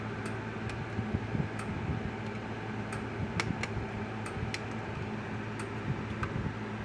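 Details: Kencove KF6000 (older version of the EK6) fence charger after a control-board swap, with the meter now reading correctly: crisp single ticks about once a second over a low hum. Normal fence charger pulsing.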